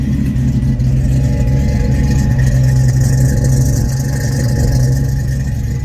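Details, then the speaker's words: Supercharged 1991 Ford Mustang 5.0L LX Fox body V8 with known exhaust leak and moisture from tailpipe: heavy idle chops and lopes with irregular exhaust puffs, sounding as bad as the other side; rough idle, owner suspects misfire or internal engine problem, unconfirmed. "it sounds as bad as the other side"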